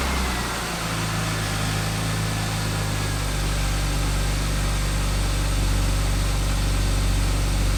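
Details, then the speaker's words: 1999 BMW E36 M3, sat non-running for years, primed before start: catches after a brief crank and settles into a steady, even rumble rising cleanly with revs, no misses or knocks; normal start and rev. "part of me i can't believe that i actually did fix it i have not heard that sound for so long i'm super excited let it warm up for five or ten minutes"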